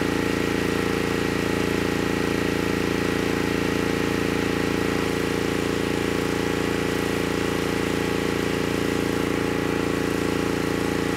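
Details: Honeywell HW5500 5500-watt generator, 337cc engine, after fitting new Hipa carburetor, replacement tank and old gaskets (insulator issue found): even, constant-pitch hum, no surging, hunting or missed beats — normal running.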